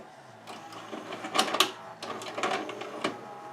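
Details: 1992 Admiral (Sharp-made) mono VCR, Montgomery Ward JSJ20416, before repair, with a tape being inserted: irregular clicks, clunks and a brief motor whir and grinding, then the tape is rejected; loading belt suspected slipping.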